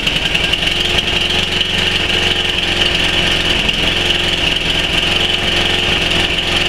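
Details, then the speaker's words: Tecumseh 11 hp Snow King on a Murray Select snowblower, cold start around -10°C, off choke and off load: uneven, hunting idle surge. "that's what I'm referring to that last bit that's what I'm referring to as soon as I take this thing off choke it does that"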